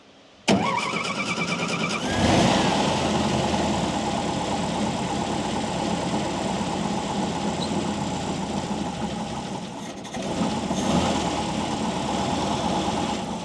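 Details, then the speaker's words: WWII Volkswagen Schwimmwagen engine during carburettor idle mixture adjustment, screw turned in until it struggles: after catching, the idle wavers, sags and stumbles about ten seconds in; lean idle mixture, then backed out until smooth. "so I'm going to adjust the idle mixture first so you screw it in until the engine really starts to struggle too"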